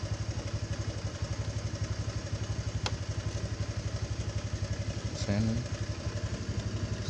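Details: Honda Vario Techno 125 scooter after repairing a total electrical failure (no lights, no starter): even, steady idle pulse with one brief throttle blip, settling back cleanly; normal running.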